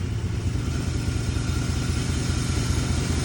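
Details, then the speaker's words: 1994 Chevy Silverado C1500 5.7L 350 V8 idles steadily in reverse with foot on the brake and no vibration. A faint whirring hum above the rumble comes from the A/C compressor, audible even from inside the garage, and needs addressing. "do you really hear that AC that's the AC making all that noise motor's nice and steady"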